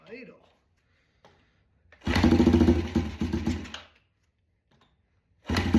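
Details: Yamaha TTR 90 with the airbox off, choke on, mixture screw turned from 1.5 to 1 and idle raised slightly. The small single catches, runs rough for about two seconds and dies, then fires again later; the engine will not hold an idle.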